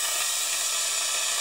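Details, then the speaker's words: 3D-printed venturi eductor on about 20 psi air, drawing excess oil from a cylinder of a 2013 Mitsubishi Fuso FG engine: steady high airy hiss, no pulsing or sputter; clean, even suction working as intended. "Seems to me it's doing exactly what we wanted it to do. Such a simple little device and it works so well."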